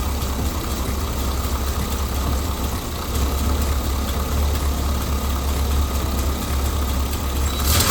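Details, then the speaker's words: 454 big block V8 after tune-up with new plugs, wires, cap and rotor (old cap badly burnt), started with just the key: deep even idle, steady low rumble, no ticks, knocks or misses; running smoothly. "That sounds pretty good there, guys. I can't tell you how happy I am to have that cap and [Music] motor."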